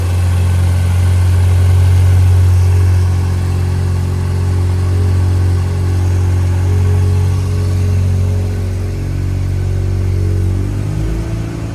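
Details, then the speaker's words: Barn-find Mazda RX-7 rotary after complete engine rebuild, previous start-then-stall issue fixed: smooth, even idle held a touch high and steady; throttle position sensor (TPS) not yet set. ">> And idle's a bit high, but keep in mind I haven't set my TPS yet."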